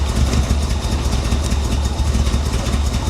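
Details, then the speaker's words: 1985 Chevrolet Corvette recovered from a Florida swamp, first revival: the V8 idles low and lumpy with uneven pulses and a stumble. Rough idle; owner suspects dirty fuel injectors, possibly timing or swapped plug wires. "oh come on girl you can do this it's those fuel injectors is what it is"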